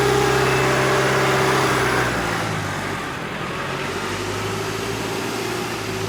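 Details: Rebuilt Duramax 2.8 16v turbo diesel from a 2018 GM S10, run after final assembly: steady, even diesel clatter at idle with a smooth low drone and no knocks or misses; idles healthy.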